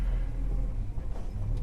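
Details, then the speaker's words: Holden HK V8 on a drive, still running hot and using more fuel: deep, even low rumble with a slight swell as it pulls; healthy under way with no knocks or misses. "this car starts beautifully she's running beautifully apart from that temperature of course but she starts and runs beautifully certainly sounds like a v8 now"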